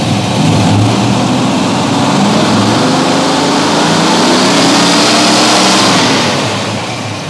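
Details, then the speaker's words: Freshly rebuilt Ford 302 V8 after swapping to a Pertronix ignition, distributor mechanical advance ~20 degrees initial toward 50, still cold on choke; crisp rev climbs smoothly and drops cleanly with no misses or rattles, sounding healthy. "but it sounds good it's time to take it out and see what she does"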